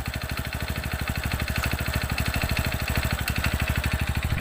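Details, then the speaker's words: TVS Radeon BS6 single-cylinder motorcycle at idle: fast, regular metallic tapping that keeps pace with the engine, diagnosed as piston slap; louder just after starting and quieter after a while. "कुछ clear बताता हूं कि इसका जो आवाज है दोस्तों यह क्वेश्चन का आवास है बिल्कुल क्लियर के साथ में कह सकता हूं कि इसका पिस्टल अकाउंट है पिस्टल का आवाज है"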